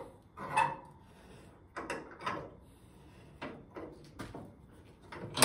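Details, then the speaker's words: 1970 Ford Mustang shell during rear frame rail installation: scattered slow creaks and groans over a few seconds as frame-pull tension is applied at three points, body shifting back into alignment with the rail sitting on the jig. "as I tighten it, you can hear the car creaking a bit. So that's everything shifting back to where it needs to be."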